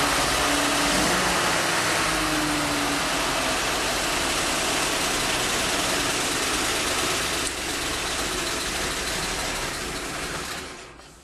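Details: 1948 Ford F-5 truck, unrun for over a year, cold start on choke with throttle pumped by hand at the engine: engine catches and settles into a steady, even idle, smooth low rumble, no knocks or misses; normal cold start.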